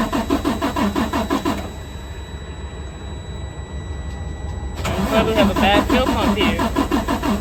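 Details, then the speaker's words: Freightliner Cascadia DD13 no-start with low rail pressure code SPN 157 FMI 15, QCV disconnected: two spells of steady cranking, about three turns a second, never fires, rail pressure not rising; bad high-pressure fuel pump suspected. "So let me disconnect this here. All right, let's see here. So it's not rising."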